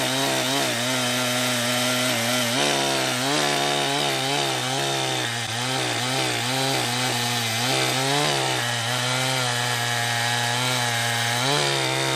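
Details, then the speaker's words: Freshly refurbished Jonsered 2071 chainsaw, first run in wood, under cut: steady scream with a slightly blubbery, uneven note; owner suspects it is just running rich with the stock muffler, also running somewhat hot. "but I mean it does have a weird sound but that could have been just cuz it's rich and I'm not used to you know what a stock muffler sounds like"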